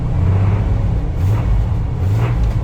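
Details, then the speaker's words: Truck with no tachometer, first start of the day: a deep, heavy rumble that swells with each throttle blip and clatters like a diesel. The owner calls it an unpleasant engine noise, separate from the exhaust noise. "I don't know if you heard it. If not, I try to turn it back on, but the engine makes a slightly unpleasant noise."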